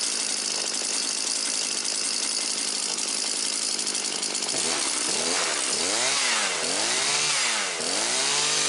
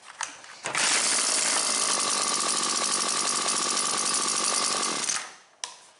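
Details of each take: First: Husqvarna 325P4 non-telescoping pole pruner after repair (chafed plug lead taped and sleeved, fuel lines, filter and purge bulb replaced): small two-stroke buzzing at a high steady pitch with throttle blips, settling into an even run without misfiring. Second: Husqvarna 325P4 pole pruner before repair, intermittent no-start: high, raspy two-stroke buzz that misses badly, stumbles and dies after a few seconds; the spark plug lead has rubbed through on the flywheel and is shorting the spark.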